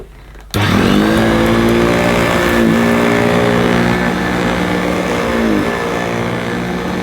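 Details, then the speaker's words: Electrolux 550 upright vacuum with clogged filters, old bag and belt: steady whirring hum that sags unevenly on wind-down instead of fading cleanly; the problem is the motor. "but it's definitely the motor where we've got the problem you can hear on the wind down that it's not quite as smooth as it should be"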